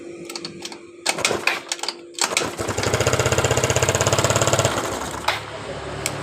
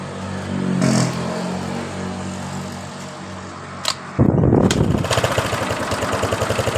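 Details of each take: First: Yamaha Mio Sporty scooter that sputtered then died, compression, ignition and fuel checked: idles with quick steady putter, then stalls right when throttle opens; carburetor problem suspected. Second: Yamaha Mio Sporty scooter that had sputtered then died, after cleaning its clogged carburetor pilot and main jets and replacing hoses: after a few quiet seconds it catches cleanly and settles into a steady, even idle; throttle responsive.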